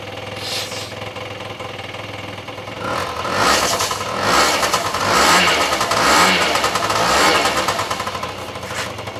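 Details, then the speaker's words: Honda Dio AF-24 (Dio 27) two-stroke scooter engine, freshly rebuilt after a knock, run at low revs to bed in crankshaft seals: catches and buzzes, revs rising and falling in easy blips about once a second, no knock; running normally. "нужно нужно чтобы двигатель еще поработал на маленьких оборотах чтобы сальники коленвала трон терлись когда оно все будет мягкая работать"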